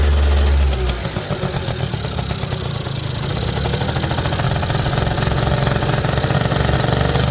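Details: 1980 Suzuki FS50 scooter found roadside, sitting an unknown time, fuel mixed oil-heavy so it smokes a little: after a brief kick the two-stroke catches and settles to a steady, even burbling idle, no knocks or stumbles; runs well, carburetor could use tuning.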